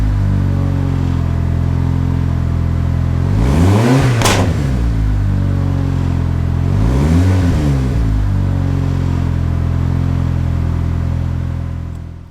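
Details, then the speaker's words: Turbo Ecotec Chevy HHR SS after boost-issue repair and reassembly, sitting since October, sputtered at start: steady idle with two clean rev blips falling back evenly, no misses or knocks; normal running. "so it seems like everything's okay as you can hear cars sputtered a little bit when we had to start it up"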